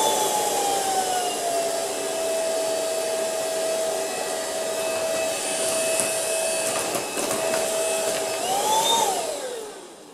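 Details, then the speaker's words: Ultenic U10 vacuum at speed 1 with microfibre brush on a heavy pile of dust: steady motor whine holds level, then rises sharply near the end as the infrared dust sensor speeds itself up. "Donc vous voyez, grande efficacité quand même en vitesse 1, et vous avez vu que la vitesse augmente automatiquement avec la grosse quantité de poussière, et ça c'est plutôt pas mal."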